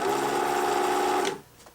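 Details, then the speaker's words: US-market Pfaff 807 sewing machine before its motor is swapped into a German Pfaff 801: loud buzzing whir with a coarse, uneven hum, sounding really rough. Later attributed to a flat spot on the rubber motor drive wheel. "sounds really rough so because of that i think the simplest thing to do is just to take the working motor out of this machine and put it into this known good machine"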